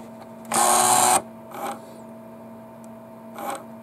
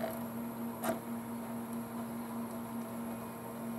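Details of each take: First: Sony PlayStation optical pickup, very loud when loading, before repair: harsh half-second grinding burst as the laser sled moves, over a low steady hum, blamed on the factory rail grease; the fix is to strip, clean and regrease. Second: Sony PlayStation after laser/optical pickup cleaned and regreased, loading Resident Evil 3: low steady hum with only a couple faint clicks as the laser seeks; normal quiet disc drive operation.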